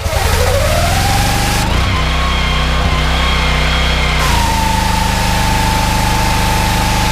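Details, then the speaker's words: On a Honda GX390 13 hp engine driving a 21-litre pressure washer pump, a steady drone drops and falters when the trigger is pulled, then recovers. The engine struggles under the pump load. "okay so you can obviously hear the Honda struggling there as soon as you pull it in the trigger the engine speeds you certainly notice a dip in the engine speed"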